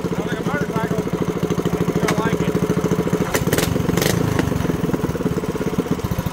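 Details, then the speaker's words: Mini bike small single-cylinder engine with newly fitted shorty header, first start: quick, even exhaust pop with a slightly raspy bark, idling smoothly and healthy; normal running. "now we're going to start up and see what it sounds like soz I've never used one of these exact headers it's a shorty header"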